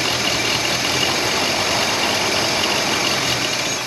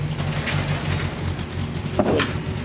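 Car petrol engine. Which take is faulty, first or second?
first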